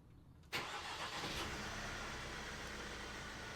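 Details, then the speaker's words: 2018 Vauxhall/Opel Astra K 1.6 CDTi diesel, engine code LWQ, with an intermittent no-start and fault codes U18A2 and P12A6; after sitting overnight it starts at once, fuel pressure reaching 50 bar, and settles into a steady, even idle. "ah she starts no bother what's that 50 bar spot on and that's it decaying"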